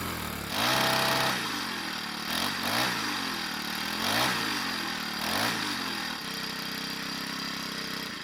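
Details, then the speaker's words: Troy-Bilt 4-cycle edger after repairs and lubrication, test start following a no-start: fires up, a few rev swings, then settles to steady even idle; needed much more than a purge bulb; normal running. "Well, it's safe to say that it needed a lot more than just a purge bulb for it to run well again."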